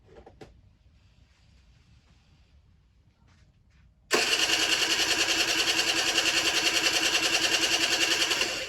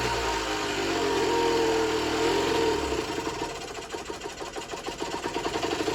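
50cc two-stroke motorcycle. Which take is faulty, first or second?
second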